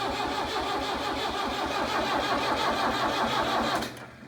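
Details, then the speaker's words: Tractor left sitting in a meadow for three years, with fuel line and pump issues and an old battery: steady starter churning at about three beats a second with no firing. No fuel reaching the injectors; fuel starvation. "we're still getting nothing at the injectors you're just going to have to keep cranking and hope we can pull some fuel"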